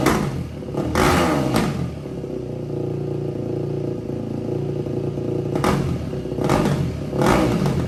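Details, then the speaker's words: 2004 Yamaha WR450 single-cylinder dirt bike, hot, after carb cleaning and valve adjustment, with restrictive exhaust insert removed: sharp revs with a crisp, open bark, a healthy unrestricted exhaust note. "Let's see what it sounds like now. Should sound like a real dirt bike now."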